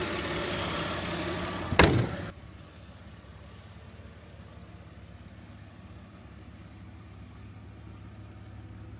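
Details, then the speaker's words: Audi 80 2.6 V6 after timing belt and water pump kit replacement and oil change, first start: brief louder burst and a clunk, then a quiet, steady low hum with no ticks or stumbles; healthy idle. "Moment of truth. Alright. Started. It's running. And that is the Audi all done."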